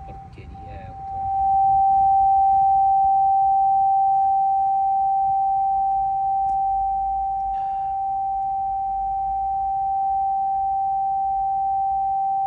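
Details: Haval H6 HEV with a loud, steady whistle in the cabin that appeared suddenly while driving. It continues with the vehicle off, gets louder with the turn signal on, and shows no warning lights, with nothing plugged in and windows closed. The source is unknown.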